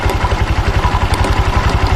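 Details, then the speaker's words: Honda Vario 150 scooter at idle, rear wheel driving as soon as it starts after new rollers and clutch linings: even thumping with loose clatter from the CVT; mechanic suspects clutch lining sticking to the clutch bell. "Area CVT-nya berisik kayak gini."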